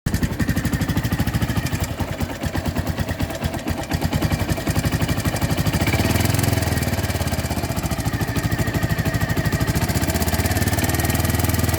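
Engine idling with a fast, even tick riding on the low rumble, steady throughout and not changing in pace; source of the tick unknown.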